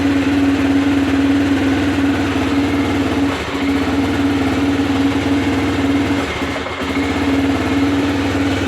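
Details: Aprilia Pegaso 650 single-cylinder engine running with an uneven, stumbling beat that drops out briefly twice before picking up again; engine misfire.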